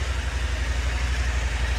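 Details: KTM 890 Adventure R cold idle, throttle untouched for roughly 10-minute ECU reset after Dirt Tricks timing chain tensioner and FuelX Lite install; smooth steady low throb, no chain rattle or ticking; normal cold idle.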